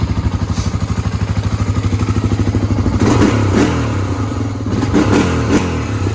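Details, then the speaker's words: 1986 Honda ATC350X single-cylinder ATV after idle raised, not fully warmed up: even thump at idle about three beats a second, then crisp revs rising and falling cleanly; throttle response right on, sounds more even; normal throttle response. "Throttle response is right on the money. It's great. That sounds a lot better. That sounds a lot more even."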